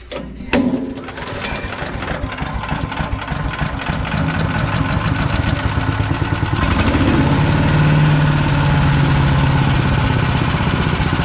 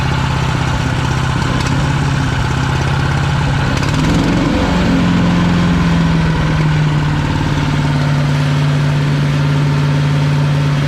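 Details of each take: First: PowerMate 212cc wood chipper, used once and broken, choke closed, fuel on: single-cylinder engine starts and runs a fast, slightly uneven chug with a faint whirring note on top; owner doesn't recall this noise, source unclear. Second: PowerMate 212cc wood chipper, pull-start single-cylinder, used once then broke with something wrapped inside: steady low beat, dips briefly around four seconds, then settles to an even idle; engine running normally.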